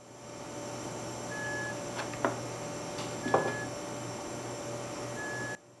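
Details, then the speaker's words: LaCie external hard drive that failed after a durability drop, plugged in: short high beep about every two seconds over a faint hum, with handling clicks, not detected; earlier it made a loud grinding as if the motor was damaged. "know if you can hear it but it's beeping and you can see it's not detecting now it just seems like it's beeping before it was making a loud grinding noise like the like the motor inside was it was damaged"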